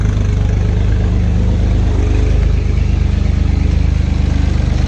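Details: Acura 3G TL Type S J35 V6, startup after front cylinder head resurfaced and reinstalled: rough, uneven, lumpy pulsing idle with stumbling low rumble; owner suspects rear head gasket also blown, or front still faulty.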